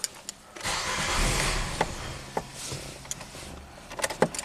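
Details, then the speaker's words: 2011 Nissan Sentra, 33,000 miles, barely runs after stalling out; plugs, coils, fuel pump and converter already replaced elsewhere. Mass airflow sensor plugged back in, throttle floored: brief crank catches into a rough surge, then dies to clatter and clicks; starts then stalls, cause unconfirmed. "still a start stall I'm trying to floor it try and keep it alive"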